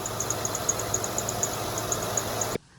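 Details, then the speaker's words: High, bird-like chirps about four times a second, uneven in timing, over a quiet idle on a 2011 Honda Pilot; serpentine belt slipping, squeaks when cold but not when hot, belt and tensioner suspected. "now had a little bit of squeaking squeaky squeak squeak see that's the weird part it'll stop squeaking when it's hot outside but when it's cold"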